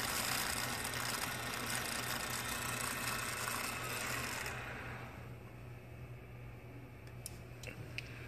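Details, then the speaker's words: Crown WP 3045-45 walkie pallet jack with a DC drive motor, during drive motor diagnosis: a low, steady, abnormal moan under a hissy whir that fades as the drive slows; the drive motor moans badly. "soundcheck OWP 30 45 45 drive motor diagnosis this is the sounds of the bad moaning"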